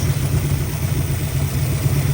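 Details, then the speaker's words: '65 Mustang 289 V8 after fixing a lifter tick, with oil now flowing to all rocker arms: smooth, even low burble at idle with no valve tick; running the best it has. "Oh man, that sounds way better. I think we have officially fixed"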